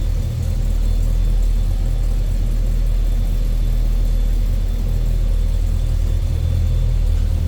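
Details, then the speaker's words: 1972 Chevrolet Cheyenne C10 pickup: deep, even, steady idle rumble, no knocks, ticks or misses, mild exhaust note, not an aggressive exhaust or big heavy cam; smooth healthy idle. "Nice sounding truck, nothing over the top as far as crazy exhaust, big heavy cam."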